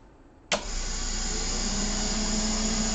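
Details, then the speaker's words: Medical grade air compressor, after repair, scheduled for disposal: sharp start then steady even motor drone with low hum as it runs the purge to flush condensation, then builds pressure toward shutoff; starts and runs normally. "okay so it's running the purge it's flashing out any condensation shuts it off and now it's building real pressure"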